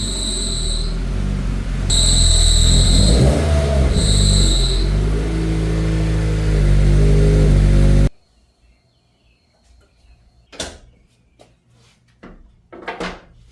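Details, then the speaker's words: Turbocharged Subaru BRZ with a running engine: high steady squeal comes whenever the clutch pedal is pressed even slightly and stops when released, pedal feel also odd; failing throw-out bearing, clutch later smoking. "you can see we take our foot off the pedal it stops when we put our foot on the pedal even just a little bit she starts to squeal"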